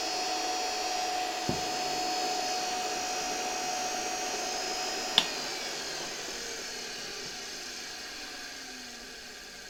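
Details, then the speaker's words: 1973 Electrolux Z320 vacuum motor bench-run at 24V after removing faulty RIFA suppression capacitor, no brush sparking: soft steady whir, even pitch, no crackle or rattle, slowly winding down; motor runs quietly and healthy. "I think it's quite nice; this motor runs quietly."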